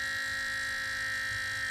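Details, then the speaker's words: Water-cooled Goped scooter's new electric coolant pump (rated for 12 volts) run primed on a single 9-volt battery: steady high-pitched whine with low hum underneath; owner thinks the 9V is already struggling and won't last long. "but i think this single nine volt is already starting to struggle and i don't think it's going to run very long"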